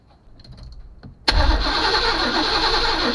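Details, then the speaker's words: 1991 Chevy Caprice bought at auction, 5.7 throttle body V8 (350), battery on a charger: the starter cranks steadily at about four turns a second but it never fires; no fuel at the injectors, the tank is empty. "I don't see any fuel coming out of the injectors let's give her a little shot of some brake clean let's hit it"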